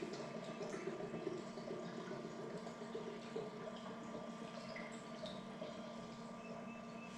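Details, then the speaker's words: Commissioning a new inkjet printer: ink bottle pushed onto the sealed septum, filling the ink tank over twenty to thirty seconds; soft irregular gurgling and trickling of liquid draining into the tank, quiet background, normal ink filling. "I'm going to push down and this now is filling the ink into the ink tank same sort of time between twenty and thirty seconds"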